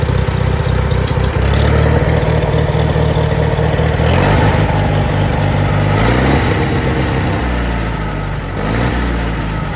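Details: International Harvester 424 utility tractor, 4-cylinder gas engine with an oversized carburetor jet, cold and not yet at temperature. Deep, steady idle with a couple of brief throttle blips, even and free of knocks, with good oil pressure. Normal healthy cold idle.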